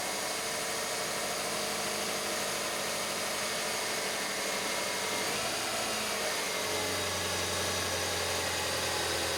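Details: 1996 Subaru Legacy 2.2L after fuel pump assembly replacement for a no-start and stalling condition; holds a steady, even idle with a constant hum and no stumbling or stalling, repair confirmed.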